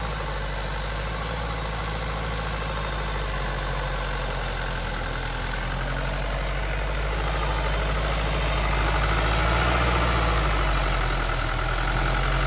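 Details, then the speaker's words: Old Mercedes 123 diesel left five years in a backyard, glow plugs suspected bad, just started: steady low idle with an even beat around four per second, smooth and settling. Normal diesel idle. "всё вот слышите обороты повышаются Опа вот это то что я говорил"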